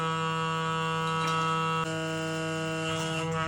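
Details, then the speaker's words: Worn shower stop valve in a bathroom gives a steady, low, hollow droning howl when turned nearly shut; stops when opened fully, thumb pressure doesn't help; seals likely worn, valve replaced. "เคยเป็นไครับก๊อกน้ำในห้องน้ำหอนแบบนี้นะครับเสียงดังอืดๆๆๆแบบนี้ดูกันนะผมจะหมุนไปที่ปิดนะ"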